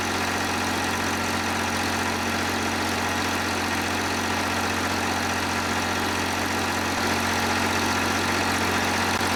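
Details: John Deere 350B bulldozer, rebuilt diesel engine: steady low idle with an even, unhurried beat, no misses or knocks, settling in; normal diesel idle.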